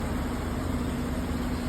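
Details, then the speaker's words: Chevy Silverado 1500 5.3-liter V8 4x4 idling with flashing check engine light; uneven loping beat with occasional stumble over steady rumble, cylinder misfire. "but the problem is engine light flashing see that see the engine light flashing the yellow light the engine I look like misfire"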